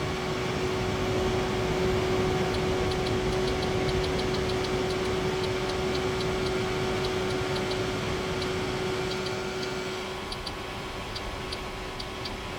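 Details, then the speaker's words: E3634A bench power supply, microphone near the pass block: steady low buzz of about 150 Hz from the pre-regulator over fan rush; normal pre-regulator noise. "it kind of sounds like a 150 Hertz buzzing buzzing sound hopefully for the here on their own I'll check that in the Edit"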